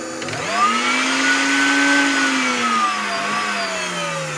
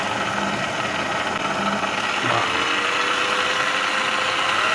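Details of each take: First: Clatronic KM2718 1000 W stand mixer: the motor spins up to a clean steady whine and winds down with no load, but the mixing head does not turn. A broken or loosened drive belt is suspected. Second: Clatronic KM2718 1000W kitchen mixer after fixing loose/torn drive belt with metal disc over gear: even motor hum, gently shifting tone, no knocking or slipping, then smooth spin-down; normal running.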